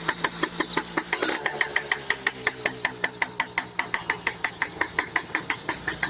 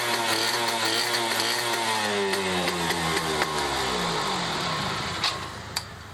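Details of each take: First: Restored, rebuilt Yamaha F1ZR two-stroke with standard CDI, pulser and magnet: sharp, uneven pops about three a second over a rough, stumbling idle. The mechanic judges the ignition timing too far advanced. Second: Restored Yamaha F1ZR two-stroke with a rebuilt stock (STD) engine and full clutch: crisp rasp climbs and falls cleanly through the revs with steady firing, no misfire or knock; engine sounds healthy after restoration.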